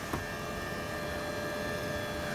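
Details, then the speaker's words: Original Xbox 1.0: loud steady whir with fixed tones over the airflow rush from one noisy cooling fan. Sounds normal with that fan disconnected; it needs replacing or servicing. "all right it goes yeah it's definitely one of these fans is here which one it is"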